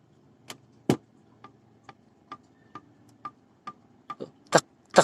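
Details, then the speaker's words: Honda CBR150 engine, camshaft rocked by hand: irregular sharp metallic ticks from camshaft play in a worn holder; noise is worse with the engine running under cam chain or timing gear pull. "tuh saya goyang-goyang aja ada suaranya nih. Apalagi sudah, kalau sudah ada di mesin ya, mesin nyala, ada tarikan dari rantai keteng ataupun dari gigi timing ya, itu bunyinya lebih parah."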